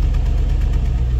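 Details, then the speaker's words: Land Rover Discovery V8, cold start around freezing: smooth, even low rumble at steady idle with no ticks or knocks, no smoke; healthy when cold, though owner says it knocks on a cylinder once warm, suspects worn piston. "bo tak naprawdę silnik jak jest zimno pracuje żyleta naprawdę żyleta Słyszeliście"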